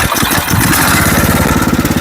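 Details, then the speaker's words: Machine with a Predator 212-type power train fired up to show how loud it is: a loud, coarse single-cylinder putter at fast idle with heavy steady vibration, drowning out speech; normal for this engine. "as you can tell you can barely hear me talk over this that loud"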